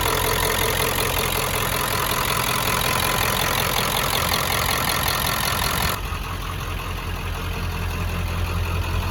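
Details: 1995 Ford 7.3 Powerstroke diesel, revived after sitting about 10 years: even, regular clatter at a steady idle, settling down partway through. The idle is healthy.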